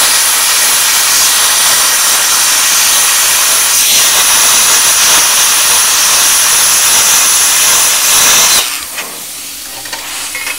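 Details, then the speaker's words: A 40 amp plasma cutter turned down to 15 amps at 40 psi air gives a loud steady hiss for about eight seconds cutting thin car-body-type sheet; it doesn't go right through, and low pressure makes technique harder; normal low-amperage cutting. "once again it hasn't gone right through but look at that you know that wouldn't take much i think a lot of that is technique too i'm not used to having that lower pressure"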